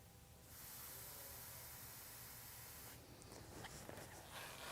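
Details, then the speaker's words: Case IH Early Riser 2000 series planter row unit pre-season check: clean sweep system pressurized via compressor and valve-slice buttons, steady soft hiss for a couple of seconds then fading, listening for air leaks in the lines. "so now you can listen for air leaks in that system and repeat with with each row unit"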